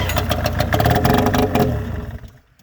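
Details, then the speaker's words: 2000 Arctic Cat ZL440 two-stroke snowmobile, first start after a rebuild with used parts, straight pipe with no muffler; brief crackly, rough run, catching and revving before dying away; sounds healthy enough. "Yeah. Dude, this kind of sounds good. I know."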